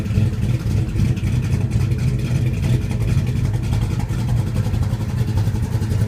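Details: 1972 Plymouth Duster, 440 six-pack bored .030 over, big high-energy comp cam, 1350 CFM carbs, 727 trans: deep, uneven, loping idle with irregular beats; rough idle, cause not pinned down.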